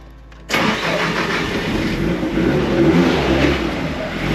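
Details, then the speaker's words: Nissan S13 Silvia with Haltech ECU, after new parts fitted following crank pulley explosion; weak battery voltage hampers starting. Engine catches quickly and settles into a steady, smooth idle with slight hunt as voltage rises; normal start and idle. "There we have it. She's running. She sounds pretty smooth."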